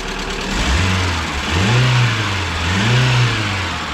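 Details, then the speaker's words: ВАЗ 2170 Lada Priora engine knocking, idling and revving before teardown and planned piston replacement; dull uneven knock under rising and falling revs, not hydraulic lifters as often claimed; piston slap. "вот так говорят вот такой бряк стоит вот такой обряд вам кажется тут компенсаторы конденсаторы не верьте"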